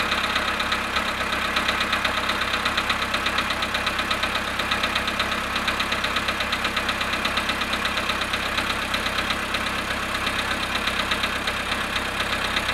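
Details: Volkswagen Polo sedan at -1°C cold idle after standing 19 hours: steady idle with a sharp, regular tapping about three times a second over the engine; cold-start engine knock.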